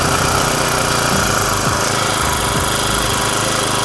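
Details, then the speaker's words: Honda GX35 small four-stroke brush-cutter engine after a cylinder re-sleeve repair: a fast, steady idle of about 1600 rpm with an even buzz and no knocks. Smoke is expected as residual diesel used for cleaning burns off. Normal idle. "เดี๋ยววอร์มเครื่องก่อนนะครับเสียงเงียบกริบเลยหนึ่งพันห้าร้อยรอบต่อนาทีก็เดินเบา"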